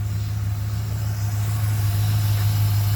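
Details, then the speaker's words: 1967 Buick Skylark V8, stock rebuild with stock cam, carburetor and intake, points ignition, new transmission, generic 2¼-inch Summit exhaust with custom head pipes, new power steering pump: deep steady idle burble, no ticks or knocks; runs pretty good. "it runs pretty good. Like I said, it's 100% stock."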